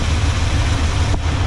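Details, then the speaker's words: Chevrolet C10 small-block 350 with four-barrel carburetor, tuning with a vacuum gauge on manifold port: idle mixture screw turned fully in, less fuel, gives a low lumpy idle with uneven stumbling beat and brief falter; rough lean idle. "the same thing with this side less fuel go all the way in starting to run rough"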